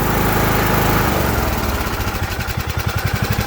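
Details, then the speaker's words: Craftsman LT2000 riding lawn mower after carburetor replacement, mixture screw set 1.5 turns out, started with starting fluid: steady low chugging, even rhythm, no misses or surging; normal running. "See, mine's still running. It's all good. Mine's good."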